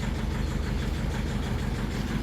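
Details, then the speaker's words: 2001 Mercedes Sprinter W903 diesel van, about 231,444 on the odometer, first cold start after sitting: rough cold idle with rapid, uneven puffing chuff over the clatter, visibly chuffing injectors, comically bad injector seal blow-by. "Well, you can hear those injectors and chuffing apart. You can see the injectors chuffing. That's how bad they are."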